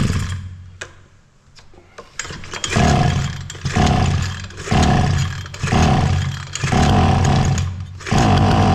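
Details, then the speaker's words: Bolat Atak two-stroke brush cutter that ran last year but not this year, now running after service: small two-stroke revving up and falling back about once a second, catching cleanly on each throttle blip; engine running properly again. "Evet, motor çalıştı. Gaza basılıydı böyle."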